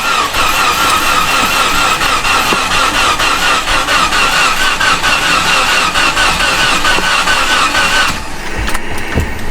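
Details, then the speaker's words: First start after tightening the battery terminals: the engine catches but runs with an uneven, stumbling beat of about two pulses a second. A part not bolted down onto the intake is letting unmetered air in, giving the wrong air-fuel mixture. "Definitely does not sound happy, guys. Not the heart. So without that being bolted down onto the intake, it's going to let air pass."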